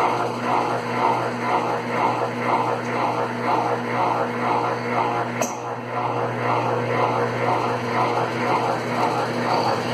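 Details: Consul Facilite CWC10 washer that would not power on, fixed by replacing the power board: steady, even motor hum with a soft regular swish about twice a second and no knocking or grinding. The spin cycle sounds healthy.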